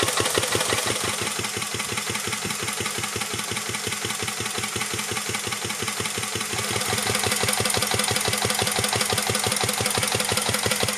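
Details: 1949 Petter A1 air-cooled single-cylinder stationary engine driving a homemade "Bitsa" generator, producing electricity: slow, even chuffing beats near three per second stay regular as the load picks up; healthy, normal running under load.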